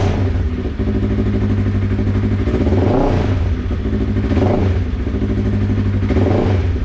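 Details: Polaris RZR 1000 XP ("Bad Billy") startup after installing a new Flowmaster dual exhaust: deep, steady drone with a few rev swells under background music. The engine pulls smoothly and runs clean, a normal cold start and revving.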